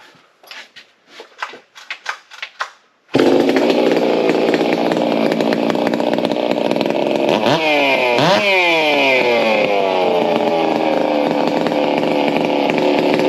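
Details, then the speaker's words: Stihl MS660, all OEM, refitted with a 52 mm clone iron-sleeve top end with deeper porting and more exhaust and intake duration, for the 85cc class, already warmed up: a few pull-start rattles, then it catches and runs a crisp, steady buzz with clean blips, strong and smooth. "I want you guys failed to hear it and it sounds really good we won't keep it running too long"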